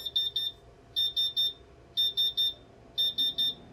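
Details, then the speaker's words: Laser cutter water chiller at start-up: groups of three sharp high beeps repeating about once a second; normal warning that it is not yet up to speed, quiets once it is, then steady hissing while running. "perfectly normal that's the water chiller saying that it's not up to speed and then when it gets up to speed it quiets down"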